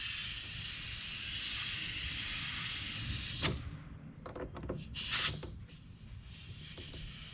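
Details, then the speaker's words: Compressed air leak hiss from the quarter-inch quick connect at a localized regulator feeding a Miata brake/clutch pressure bleeding cap, while shop air is raised from zero toward 20 psi; steady sharp hiss with handling clicks, the bleeding cap itself not leaking. "sounds like my Quick Connect is leaking well the product isn't leaking"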